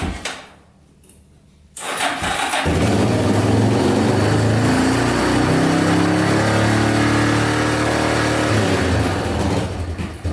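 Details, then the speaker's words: Yamaha Wolverine 350 4x4 ATV (1999 registration), first start after adding oil and cleaning airbox: catches after short crank, lumpy uneven rev, only runs with choke on, smoking heavily; poor running from plugged carburetor jets (owner also suspects rings/valve seals for smoke). "so oh it smells horrible a little smoky yeah smoking pretty good only really runs with the choke on too"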